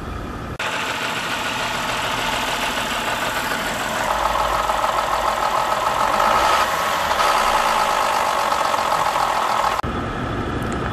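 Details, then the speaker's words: 2011 BMW 528i inline-six with code P052B, bouncing revs on startup and rough idle: loud coarse diesel-truck-like clatter at idle and under 2000 rpm from failing VANOS units coming apart, bolts breaking off; both VANOS units replaced under warranty. "it sounded like a diesel truck uh it honestly was so loud under 2000 rpms and while idling it sounded like like a like a box truck"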